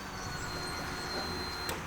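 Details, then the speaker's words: 2000 Honda Blackbird, 1,600 miles, fuel-injected, after replacing spark plugs, gas and fuel pump: faint, steady electric whir at key-on as the fuel pump primes normally. "You hear the fuel pump cycle on. Anytime you have a. Oh, yeah. Can you hear it? Yeah. Anytime you have a fuel injected bike, you turn the key and you hear."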